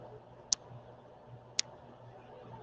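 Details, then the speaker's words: Three sharp high ticks about one second apart over faint low hum, clock-like; long-running livestream audio tick of unknown origin. "something has changed since last week i haven't touched it it's like a clock ticking yeah i know we've been battling this damn tick forever"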